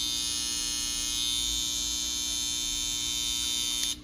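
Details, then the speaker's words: Babyliss FX hair trimmer running with a harsh, piercing buzz far louder than a new one, and not cutting hair, due to a bent blade. "But the two I'm having with this one right here is, it's loud as heck, and it's not cutting no hair."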